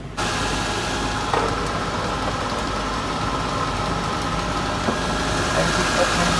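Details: Suzuki Mehran petrol engine idling with an uneven, busy clatter over the hum; the cause may be tappet setting or the timing belt bearing, unconfirmed.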